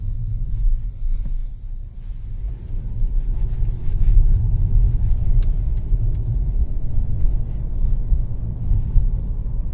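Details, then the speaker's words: Four-cylinder Mercedes C250 (W204) driving and pulling from a stop after replacing the engine mounts, which had let a rotational high-pressure fuel pump noise into the cabin. Smooth, even low rumble with no droning; quiet, repair successful. "nice and quiet nothing like it was before another good example from coming from a stop light load it's nice and quiet"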